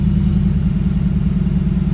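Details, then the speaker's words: Mercedes-Benz E550 coupe (C207) V8 idling right after a new battery was fitted; first start attempt failed, then it started. Deep, even burble with steady firing pulse, no knocks or misses; owner says it sounds normal. Normal idle. "Sounds normal. Let's finish the video. I love this sound."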